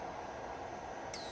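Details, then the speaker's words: Laser power supply test: test button pressed with the high-voltage cable held in silicone tubing about 4 inches away; faint steady hiss and crackle with a thin high whistle near the end. Static from the high-voltage lead. "When you press it, you can hear there's a noise. This is the static"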